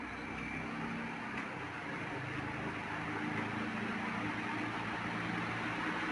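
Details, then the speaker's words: Ceiling fan after repair, noise and jerky running fixed without replacing the bearings: a quiet, steady hum with no clicking or jerking as it spins up fast and smooth; normal running. "इसमें बिल्कुल भी आवाज नहीं है अब और यह बहुत स्पीट के साथ चल रहा है और बहुत स्मूथ चल रहा है"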